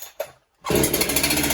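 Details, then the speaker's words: Chainsaw (372 clone) being tested with a stop switch wired in the stop position. Quiet pulls, then a sharp, fast-firing burst of rough popping as it briefly fires. Probably flooded. "yeah that should have started by now it's probably flooded so there I just popped off it sounds"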